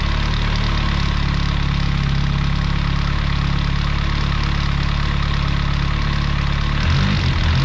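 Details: 1989 BMW M3 with original S14 engine, first start after replacing valve cover, spark plug and rear heat plate gaskets and sealing an intake vacuum fitting: steady, even idle with a low smooth pulse, no knocks or misses.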